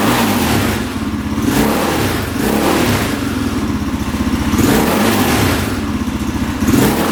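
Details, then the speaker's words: Throttle blips on a warmed-up 2003 KTM 625 SXC Supermoto after a carb clean; it had been stored and would start then die instantly. Revs climb sharply and drop back cleanly, very responsive with no bogging: normal throttle response. "Oh yeah, sounds pretty good. Wow. Very responsive, doesn't bog down."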